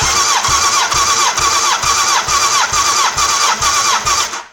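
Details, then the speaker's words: 1989 Honda CBR1000F, abandoned over 10 years, cranking on starter during compression test with carbs removed; even whirring cranking about two turns per second, healthy compression. "Right, here we go for the compression test. Now, the carbs aren't attached, so I don't need to worry about having the throttle fully open."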